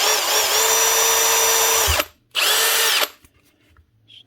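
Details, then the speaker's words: Milwaukee M18 BLPD2 cordless hammer drill from 2020: smooth even high whine for two seconds, clean stop, another steady run; gears, variable speed, clutch, hammer mode all working, not slipping. "chocks working variables working forward and back's working and the gearbox is working at both speeds and she is not slipping"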